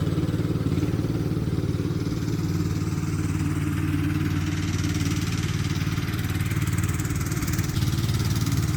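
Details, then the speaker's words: Free Craftsman LT2000 lawn tractor, parked about 6-8 years, running after cleaning solenoid and ignition switch connections: steady single-cylinder chug at constant speed with no misfires, knocks or rattles; normal running. "so that's her running nicely"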